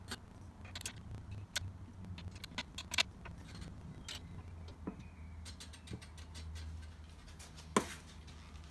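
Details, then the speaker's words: Scott Bonnar Model 45 cylinder mower, reel spun by hand after raising it via bolt and nut: light, irregular scissor-like snipping ticks as the blades just kiss the bedknife; normal contact before final adjustment. "so as you can still hear we have contact with the bed knife it sounds like scissors"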